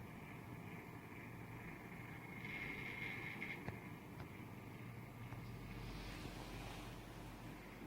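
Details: INOQ IA-C12 circulator fan: quiet steady whirr with a thin high-pitched whine on top and occasional faint ticks; abnormal fan noise.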